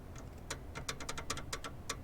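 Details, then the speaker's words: Old skid steer diesel, engine not running: sharp uneven clicks as the injection pump fuel shutoff lever is worked by hand; lever is tight and not moving the shuttle properly, owner expects to pull the injection pump. "you hear that clicking it's tight in there so it's definitely not moving the way it should"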